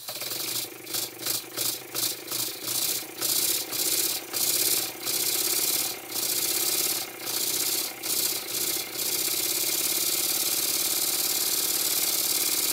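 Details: Very old Stuart S50 steam plant engine, reassembled with a new valve rod and valve timing set fairly accurately. Exhaust puffs come quicker and quicker, then merge into a smooth steady hiss as it runs up cleanly. Normal running.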